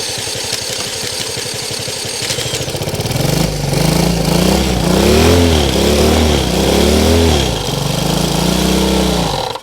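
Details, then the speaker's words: Honda CL90 freed from a seized engine, with oil added and exhaust loosened: cranks, catches, then revs rise and fall smoothly with a clean, even beat; first successful run, running normally. "that's much better. I don't know about you guys, but I'm going to count that as a W. That's a win. This guy is running CL90."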